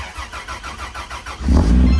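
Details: Toyota 80 FZ turbo engine after rewiring its ECU and fixing out-of-sync coil pack wiring that caused backfiring: even cranking for about 1.5 s, then a clean catch and a strong, steady idle.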